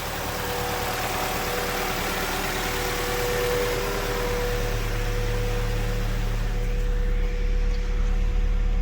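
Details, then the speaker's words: 1.8L Mazda Miata NB2 just after a Skunk2 throttle body was installed and the throttle adjusted to close fully, engine still cool: a steady, even idle at about 1200 rpm with no misses or knocks, slightly high while warming up. "Fired it up. We are good as far as idle. It's a little high still, but the engine's cool, so we're gonna let it warm up a little bit."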